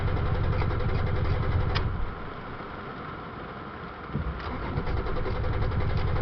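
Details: Toyota Tacoma that stalled after driving into water, now hard to start; rough, uneven idle that sags and nearly stalls midway, then stumbles back up; cause unclear.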